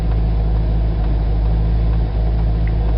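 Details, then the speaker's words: Corvette at standstill with the engine running and front tires on plastic bags, after Teflon lubricant on both sides of the firewall and at the steering wheel. Steady low engine rumble while turning the wheel, no column moan or groan; fixed. "something I did fix it and I think it's probably the two shots of of the Teflon lubricant on both sides of the firewall I think that's where most of it was and a little bit maybe at the steering wheel"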